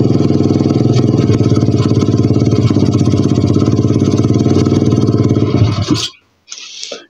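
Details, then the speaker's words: 125 cc pit bike single runs choppy and uneven at steady revs, then dies abruptly once throttle is released; owner suspects the carburettor needle, unconfirmed. "pustím plyn, tak asi chcípne. No tak ty vole, tam je něco špatně s tou jehlou nebo já už nevím."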